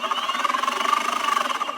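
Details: Boosted Board 2: fast even clicking, about fourteen per second, over the drive motor whine, persisting with wheel drive refitted and seemingly from inside the motor; manufacturer suspects a faulty motor bearing.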